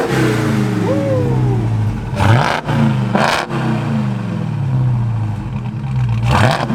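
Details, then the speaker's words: Dodge Hellcat project car, not yet street legal, revved after being brought out of the garage: revs blip up and fall back cleanly several times, no knocks, misses or rattles, no leaks. Normal engine revving. "That sounds good. It's nice having it out."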